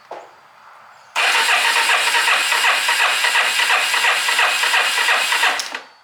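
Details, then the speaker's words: 1987 Yamaha Moto4 ATV, unrun for unknown time, compression test with gauge: even starter cranking, about three pulses a second, single cylinder reading a little above 90, about 93, considered good. "all right looks like we're a little bit above 90 which is good I mean it's for hasn't ran in no telling how long"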